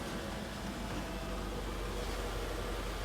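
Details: Mercedes R107 380SL 3.8 V8 right after new distributor cap and rotor: even smooth idle, soft steady rumble, no pops, stumbles or misfires; ignition firing cleanly.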